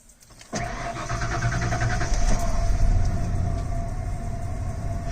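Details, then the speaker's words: 1996 Ford F-150 after refilling fuel and additive treatment: brief crank catches almost instantly and settles to a steady, even idle; normal quick start, whereas before, with suspected bad gas, it hesitated and stumbled before catching. "Yeah, it definitely had bad gas in it. Because it did not used to start up like that. It would hesitate and stumble and stumble and stumble and finally catch up."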